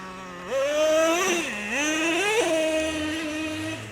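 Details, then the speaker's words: Traxxas Revo 3.3 nitro monster truck, sat 10 years, driven slowly: engine screams up then revs drop abruptly into second well before peak, twice; two-speed transmission shifting too early. "so I'll go slow with it and then you'll hear it it shifts seems like way too early there it is Boom surely you guys heard"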